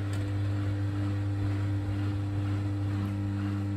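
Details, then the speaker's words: Bosch WFK2801 washing machine showing error 03, stuck full of water after a 40-degree cotton wash, set to spin: drain pump back on with a steady, even low hum and no rattle or grinding; normal drain pump operation. "Yeah, turn it on to spin, press start. Pump's back on again."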